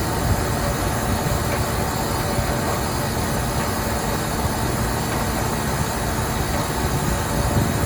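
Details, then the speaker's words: Walk-in cooler condensing unit on a liquor store roof during a heat wave, clear sight glass, valve front-seated: steady even compressor drone with hum and hiss, sound changes as it pumps down to the low pressure switch setting; normal. "here we go you can hear the compressor start to change sound and we should go down to our low pressure switch setting yeah she pumped down like a champ"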